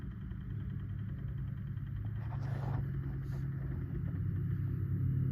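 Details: RV fuse box cooling fan: a low, steady hum with a rough, uneven buzz building gradually; abnormal fan noise of unknown cause.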